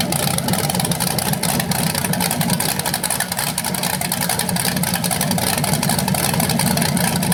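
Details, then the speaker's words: BluePrint 396 big-block crate engine for a 1970 Camaro SS, first run outside after oil priming and a timing check: loud, lumpy but steady burble with no knocking or grinding. It sounds healthy with no leaks. "Well, so there it is, guys. First run of the engine. It sounded good."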